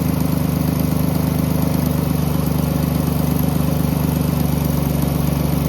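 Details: 2010 Jeep Grand Cherokee 3.7 at idle: rhythmic pulsing about three to four beats a second, seeming to come from the intake on driver's side; not valves or PCV valve, smoke tests of intake and exhaust found no leaks; source unknown.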